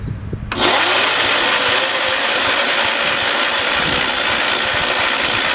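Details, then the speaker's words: 1968 John Deere 112 tractor: engine cranks briefly, then a rough roar takes over; tries to start but won't idle, owner suspects fuel pump or carburetor problem. "so i did hear it is trying to start we might not be having a fuel pump problem well it's obvious we are but we may be having a carburetor problem"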